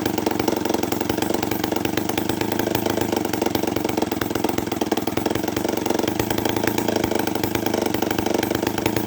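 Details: Homelite 500 chainsaw with no muffler, first test run after a carburetor rebuild with Hi and Lo needles opened 3/4 turn each: loud, crisp, rapid two-stroke popping at a steady fast idle, no misses or surging; normal running.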